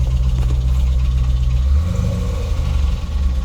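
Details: Hemi V8 idling with an irregular low knock that seems engine-internal: present in Park and Neutral, gone in Reverse and Drive; cause is a broken flex plate.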